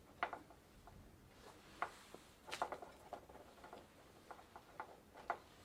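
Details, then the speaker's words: Old Dutch Phoenix Mentor single-speed bicycle after drivetrain replacement; scattered light irregular ticks as the crank spins: the chain is too loose and slaps against the plastic chain case. "think the chain is too loose and hitting the chain case yep definitely"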